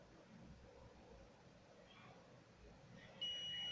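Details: DIY alarm circuit board, multimeter continuity test after soldering 7805 regulator: quiet handling, then a steady high-pitched continuity beep that holds on; two pins shorted by a solder bridge.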